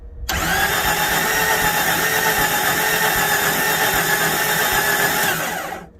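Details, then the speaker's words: 1993 Jeep Cherokee on booster pack: starter spins steadily about four beats a second for five seconds, never catches; compression test reads under 50, major low-compression problem, cause unknown. "Less than 50. So, we've got a major problem that, I don't know."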